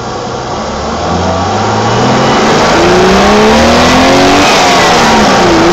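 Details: 1987 BMW E28 520i, M20 2.0-litre inline-six, 129 hp, nearly 400,000 km, running well again, recorded on a phone; pulls cleanly under acceleration, pitch climbing evenly, no knocks, misses or rattles. Normal acceleration and revving.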